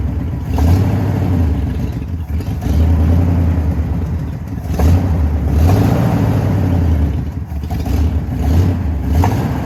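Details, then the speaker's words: 1979 Jeep J20 with dual pipes, sat a year, low compression: when revved the exhaust chugs and stumbles with uneven, lumpy pulses, a bad miss from weak middle-cylinder compression. "when you Rev on it I don't know how well the camera picks it up but it's definitely chuggy or I don't know just has a bad Miss"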